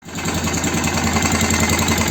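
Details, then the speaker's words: BM Motard 250 moped just after an engine rebuild, idling: quick repetitive tapping knock riding on the beat, even and unchanging; foreign knock, cause suspected but not confirmed, engine to be opened up. "запустил мопед Вот но слышно стук вон оттуда вот отсюда посторонний звук подозрение на портим будем разбирать смотреть"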